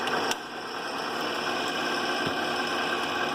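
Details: Vintage 8mm projector model 253 AX in rewind, back spindle turning: steady, even mechanical whir with no knocks or scraping; runs smoothly, though owner says it sounded rough, possibly needing lubrication.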